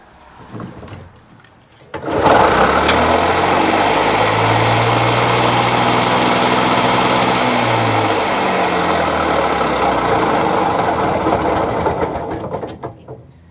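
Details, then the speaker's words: $10 Victa 2-stroke lawn mower that would not run: catches abruptly, runs rough steady drone with heavy smoke, won't rev, then dies; heavy smoke and won't rev. "Well, look at that. It fired right up. Now we've got a bloody smoke show in here. Can't bloody rev now."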